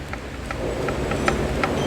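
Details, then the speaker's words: Worn lower control arm ball joint on a 2014 Renault Duster front suspension, heard as the joint is worked back and forth: sharp hollow clicking knocks, three or four a second; owner reported heavy noise and instability over uneven roads; lower arm and link rods to be replaced. "अभी बात करेगी लोहारा में assembly की तो ये लो राम जो है इसका जो बोल्डिन टेस्ट में काफी प्ले है आप देख सकते हो एंड यहां से इसका आवाज़ भी ए रहा था"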